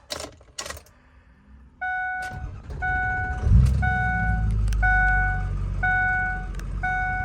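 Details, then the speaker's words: 2005 Ford Excursion Eddie Bauer 6.0L Powerstroke diesel 4WD, 185k miles: door chimes beep, then it cranks briefly and catches into a steady even idle; not a cold start, driven that morning, no warning lights. "Boom, starts right up. You can see no lights on."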